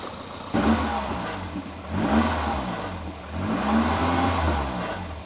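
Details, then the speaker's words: 1988 Volvo 240 DL sedan, abandoned in woods, just started for the first time: old four-cylinder revving in waves with a dry metallic clatter like an unoiled sewing machine; owner suspects a failing heat shield, source unconfirmed; oil leak seen. "sounds like an old Singer sewing machine like one from the late 1800s that it's never been oiled and left out in a field to rust"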